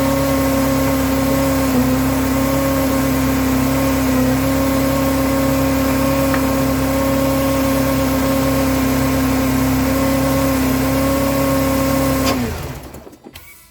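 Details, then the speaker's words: 2002 Mercedes C230 supercharged, after replacing a seized idler pulley that threw the belt, with a new belt fitted: steady idle with a faint constant hum and no squeal, chirp or rattle; power steering and belts working. "everything's working I'm supposed to got power steering all the belts are on there I think we're in good shape"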